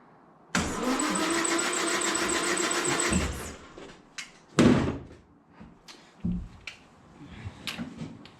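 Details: 1968 Land Rover Series 2A 2.25L petrol, first start attempt after about 30 years standing, with rebuilt carburettor and fuel pump, fresh fuel, new plugs and good spark confirmed; slow even starter churning under three seconds with no firing; suspected not getting fuel: crank no start.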